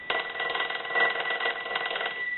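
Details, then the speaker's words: Stromberg Carlson 2-1553 rotary wall telephone after repair and conversion, final checks, ringing the unit: even rapid clean bell ringing with no rattle or buzz, ringer healthy. "we want to go ahead and start our final checks so we'll go ahead and ring the unit will let that go a few times"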